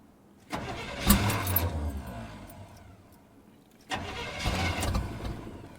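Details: Suburban truck with suspected worn piston rings, after distributor work, on a 28° morning. Two cranking attempts of fast, steady churning that never catch. Cranks but will not start.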